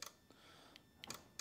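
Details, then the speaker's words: 2015 Ford Fusion non-working horn, after swapping horn relay: sharp dry relay clicks with each press, no horn tone; relay and fuse have power and are good, fault further along. "all right we're hoping for a beep beep here i hear it clicking"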